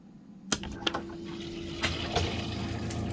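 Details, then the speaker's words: RV water system after replacing a leaking valve near the hot water tank, water pump switched on with the sink open: a few sharp clicks, then steady rushing hiss of the water heater tank filling, no banging; normal refill. "So we've got some water coming out. We're building up pressure. I can hear the water flowing through the water heater tank."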